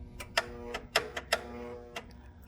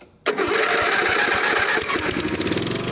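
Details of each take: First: Abandoned 1980s Snapper riding mower, jump-started with 50 amp boost: sharp, irregular clicks about two a second with no cranking or turnover; starter not turning, suspected stuck starter needing a whack. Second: Abandoned 1980s Snapper riding mower, single-cylinder, revived with fresh battery, replaced battery cable, oil and gas: catches quickly and settles into a steady, even run with no knocks or misses; normal running.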